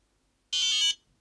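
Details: Eclipse CS3 paintball marker after solenoid maintenance, wiring reconnected and powered up to check function: a single clean, high-pitched beep about half a second long in a quiet room. Normal power-up.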